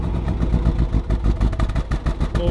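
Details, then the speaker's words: 2021 Range Rover SVR, crash-damaged salvage-auction car started on the trailer: lumpy, uneven idle with irregular pulses and dips, a rough-running misfire close to stalling; it then died. "it's struggling in fact it was bad yeah it's struggling"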